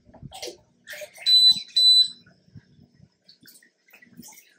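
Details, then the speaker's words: YoLink water-level alarm with float sensor on a home aquarium: two sharp, high-pitched beeps about half a second apart over quiet water noise. Low water alarm; at least a gallon needs adding, and beeping stops once the float rises. "so anyhow it's now beeping it's letting you know that hey you need to fill it up with at least a gallon of"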